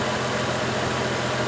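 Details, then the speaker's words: 2004 Chevrolet Trailblazer inline-six after fixing a misfire that made the engine rock: even, steady idle with a smooth low hum and no stumble or skip. The fault was an ignition coil, replaced with a new one, though not the coil first suspected. Normal idle. "all right let's see what happens here we go that's the engine I know and love"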